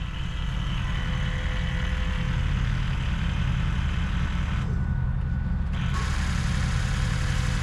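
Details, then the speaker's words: Ford 6.0 Powerstroke diesel first start after a six-month rebuild: deep steady diesel clatter, even low rumble, no misses or knocks; idles smoothly and sounds healthy. "I'll tell you right now, it sounds healthy. Oh shit, she's alive, boys."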